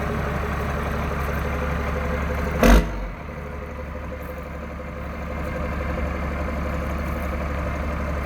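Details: 1993 Dodge Ram D350 with an unmodified Cummins diesel (killer dowel pin fix) and 5-speed Getrag manual, exhaust brake fitted: a short burst as it catches, then a smooth, even low rumble settling into a steady idle; healthy start.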